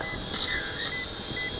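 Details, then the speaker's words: ATTOP W8 GPS camera drone on a 2S 2600 mAh battery, in flight: short, high-pitched beeps repeat about twice a second over rotor hiss even though the display shows 39% remaining; low-battery warning beeping. "I am not sure why that's beeping because it says we got 39% power"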